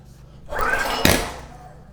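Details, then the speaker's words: Generac GP series portable generator of unknown condition failing to start on recoil pulls with ignition on and choke being varied: cranking whoosh, then sharp backfires out the carburetor; cause not yet confirmed. "And we got to backfire out the carb. And another backfire."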